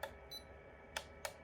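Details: DermRays V8S at-home laser hair removal device giving short, bright, spaced beeps as the intensity setting is selected, before a double press turns the light green, ready for use; normal operation.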